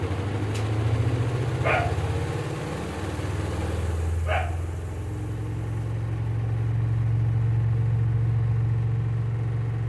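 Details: Samsung washing machine after repair of a water-not-draining and poor-drying fault, spinning with clothes loaded; smooth low hum builds to an even drone with no thumping or rubbing, spin running normally.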